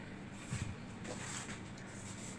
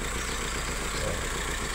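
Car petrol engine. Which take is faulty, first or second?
second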